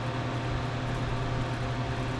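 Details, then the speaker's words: Circa 1975-80 soda vending machine not cooling: steady fan hum with low buzz, compressor seized and won't start, cycles trying and clicks grounding out or may blow fuse; cooling deck needs replacing. "So the fan comes on, compressor doesn't. And it'll cycle a couple times trying to start it, but"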